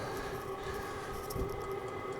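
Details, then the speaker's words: Vevor 5kW diesel heater on first startup, on max heat setting, shortly after ignition: constant mid-pitched whir with steady hum, no sputter or surging; burner running cleanly. "it's really starting to pick up now as you can hear the pump is really started to top along I do have this one I believe it has six heat settings and I have it on the max setting for initial fire up"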